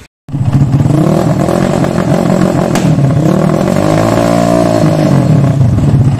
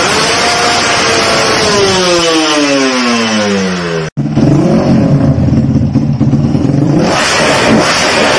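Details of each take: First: Motorcycle carburetor with an undersized pilot jet: the engine revs up and falls back with a sharp pop partway through, the backfiring typical of a pilot jet that is too small. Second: Carburetted motorcycle shown as a reference example of correct pilot jet and main jet carburetor settings, in a guide covering 2-stroke and 4-stroke bikes. The engine climbs cleanly through the revs, then holds a strong, even roar with no popping or stumbling; revving normally.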